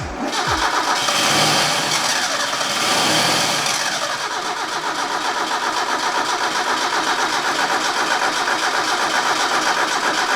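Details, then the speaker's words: Mazda Miata NA 1.6 with new ISR turbo kit: steady starter churn about four pulses a second with no catch or firing; fuel pump unplugged on purpose during timing check, harmonic balancer lacks TDC mark. "I also unplugged the fuel pump so he can just keep cranking it cuz that's what you're supposed to do"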